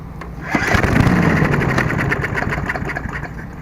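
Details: Murray 22-inch Sprint 3.75 hp mower, after replacing seized stop cable: repeated pull-cord cranking with quick chuffing compression strokes, never catches; no-start, clogged or oil-soaked air filter suspected next.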